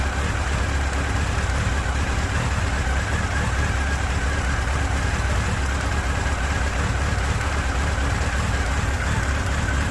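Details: Honda X4 CB1300 idling: fast persistent tapping knock on the left side of the engine, not heard cold and appearing after about 30 seconds; owner plans to check cam timing and valve clearances and suspects the oil pump chain.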